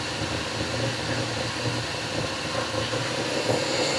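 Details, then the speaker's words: 1967 Mercury Monterey with a newly fitted carburetor, idle not yet set down, run to get a heat cycle: high fast idle with an uneven, lumpy beat and no steady rhythm; running rough, cause unknown. "She ain't happy about something. don't know what it is."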